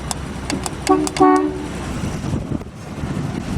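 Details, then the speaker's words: 1946 Plymouth Special Deluxe dual horn: two short honks, low two-note tone with bright overtones over street background; horn strong and healthy. "Good old horn from 1946 Plymouth."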